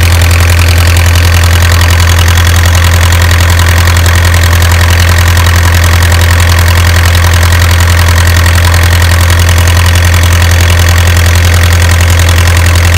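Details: Isuzu 4BA1 85 hp diesel coupled directly to a single-impeller 5-inch water pump for orchard irrigation: steady diesel clatter at idle, even firing around three to four beats a second, no misses or knocks; engine running healthy.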